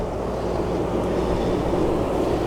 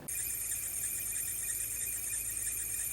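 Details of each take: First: 2006 Supercharged Range Rover after replacing the belts, idlers, tensioners and supercharger belt: a low, steady, even idle rumble with no squeal or chirp, quiet where it was loud before. Normal idle. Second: 2006 Range Rover Supercharged, primary belt and supercharger belt fitted, recorded before replacing belts and idlers: steady high-pitched squeal and whirring over low engine hum at idle; worn bearings in the two idler pulleys.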